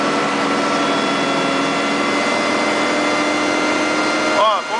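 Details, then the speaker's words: Diesel machine under load: several steady high whistling tones ride over the engine, absent when lightly loaded; noisy turbocharger. "e quando ela tá leve não tem barulho algum"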